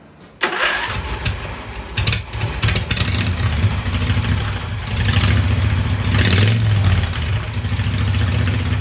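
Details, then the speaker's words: Hydro Husqvarna mud mower with new dual side exhaust made from pressure-washer-cart pipes: engine catches, then steady, deep thrum with a few throttle blips; quieter than before, less dust-raising, running healthy. "anyway it's quieter than it was and it won't make so much dust if you go to the river"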